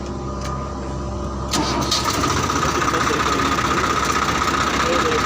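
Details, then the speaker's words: Swaraj 4x4 tractor with high/low range gearbox, diesel: starter only engages with gear in neutral; brief crank, then it catches in about 1.5 seconds and settles to a steady, even clatter; normal start. "அங்கே பாருங்கள் இப்போ பாருங்கள் போடுறேன் பாருங்கள். Neutral பண்ணி விட்டால் self எடுக்குது."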